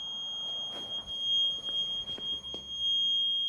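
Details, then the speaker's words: Motorcycle, engine not running, jump box connected; steady high-pitched electronic beep of unknown source sounding continuously over faint clicks. "I don't know what that deeper is open think we can figure that out that beep is crazy"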